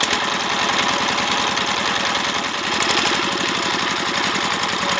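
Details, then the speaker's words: Diesel S-195 single-cylinder dompeng engine driving a drilling well, after service for heavy power and smoke from the breather, test run: steady but coarse, rattly thump at idle; still sounds rough, possibly from the gear set, cause not confirmed. "हां, यह gear set के कारण हो सकता है, इसलिए ध्वनि अभी भी खुरदरी लगती है, लेकिन हम केवल पिछली शिकायत पर ध्यान देंगे, इसलिए यहां हम पहले पिछली बीमारी की जाँ"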